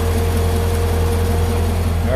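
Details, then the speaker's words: 2012 Corvette Grand Sport 6.2 L LS3 V8, first start after AMSOIL engine flush and oil change to AMSOIL Signature Series: deep, steady rumble with even beat, no ticks or knocks; normal idle. "the very first time there's nothing like the first time so here's what she sounds like after come in"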